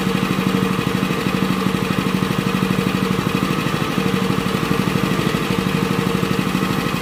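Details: Honda WL30XN 3-inch water pump engine after one year of use with its engine oil never changed: a steady, even single-cylinder putter with no knocks or rattles. It still sounds smooth and suction is good, so normal running.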